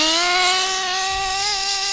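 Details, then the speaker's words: HPI 3.5 nitro Trophy buggy: a rich bog has cleared out, and punching the throttle now gives a high, buzzy note that climbs smoothly and holds without stumbling or bogging; clean, crisp throttle response. "That was a rich. That was a bog. Because now, once it's cleared out, you punch it and it's fine."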